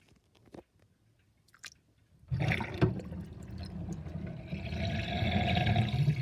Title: Interesting kitchen sinkdrain with drainbasket and loud gurgling sound